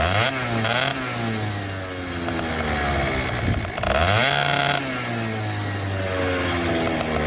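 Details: Two-stroke scooter after a silencer re-pack with new exhaust packing wool, recorded against a wall in wind: buzz rises and falls cleanly through several blips with no rattles or blowing; the exhaust is healthy and significantly quieter.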